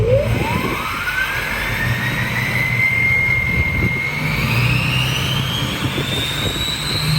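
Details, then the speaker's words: 6.0 diesel with KC 9-blade turbo (new Jetfire 10-blade turbine design cut to 9 blades): loud, clean whistle climbing steeply as boost builds, then holding high over diesel rumble; screaming, very loud, healthy turbo whistle. "So now we got the 9-blade, which screams. It's so loud."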